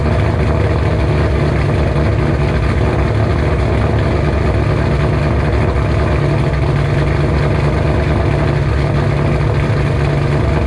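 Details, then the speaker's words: 2007 GT500 supercharged V8 on its first cold start after installing L&M NSR cams with a Venomous Tuning tune. Loud, deep, steady lopey idle with no knocks or misses, healthy; the owner expects it to idle a little lower. "alrighty guys prepare yourself first cold start with the normal idol and everything it's cold let's see how she sounds"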